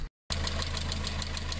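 Steady, fast metallic tapping rides over a low idle drone and carries on evenly; a knock from internal engine damage.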